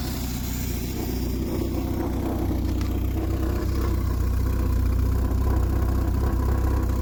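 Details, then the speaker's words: Triumph Spitfire just started cold for first time in 25 years, on choke, after timing correction, carburetor rebuild and new electric fuel pump: steady, even low idle pulsing about four beats a second, no misses or knocks, healthy. "There it is. Took a little bit of love, but it started right up."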